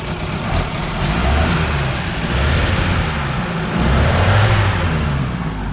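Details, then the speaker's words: Ford Transit Mk2 motorhome engine, running after revival, belt still noisy until warm: even, low idle with slight rise and fall, light belt hiss, no knocking or missing; normal idle. "Idling perfectly as well. Check out this sound. It's like a ferry or something."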